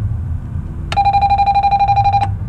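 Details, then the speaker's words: Dead-battery RV being jumped with doubled jumper leads, ignition on and engine off: a steady pulsing high buzz for about a second and a half over low rumble; the normal dash warning alarm. "all right that's the alarm going off so I can jump it"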